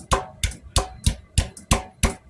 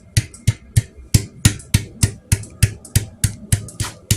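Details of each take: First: Royal Enfield Classic 500 EFI: hollow knocks, about three a second, as the fuel tank slides and hits its worn front rubber mounting buffers. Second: Royal Enfield Classic 500 EFI fuel tank refitted with tightly wrapped mounting rubbers after a tank rattle fix: firm hand knocks about three a second give clean thuds with no loose rattle or movement.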